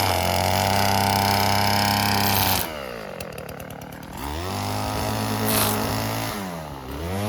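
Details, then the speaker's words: Old Stihl FS36 two-stroke string trimmer tested outdoors: crisp high buzz at full throttle, drops cleanly to idle and picks up again without stumbling. Runs properly; its on-off switch is faulty. "Okay, well, it looks like that thing's done. Not bad. Works okay."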